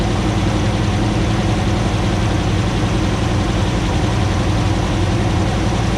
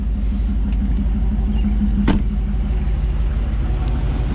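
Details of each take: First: 2009 Ram 1500 Hemi V8 first start after engine rebuild, about 80 psi fuel pressure at idle: deep, uneven idle with lumpy stumble and shaking, likely a misfire; owner hopes it clears as the long-unplugged ECU relearns. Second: 2009 Dodge Ram 1500 Hemi V8, first start after engine rebuild: low steady rumble at about 700 rpm idle, no knocks or ticks, warming up; exhaust smoke from WD-40 burning off; normal idle.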